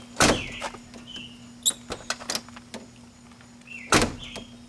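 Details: On a 1987–1996/97 Ford F-series, after the deteriorated door striker bushing was replaced and the striker adjusted, the door swings and shuts with a single solid thunk and a clean latch, with no rattle afterward. The latch and striker are working normally.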